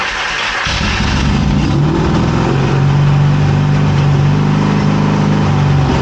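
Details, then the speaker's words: 1981 Yamaha XS650 Special first startup after carb rebuild, choke on: slow labouring crank from an old weak battery, then the twin catches briefly with an uneven low putter before faltering. "All right, our battery is weak. It's an old battery."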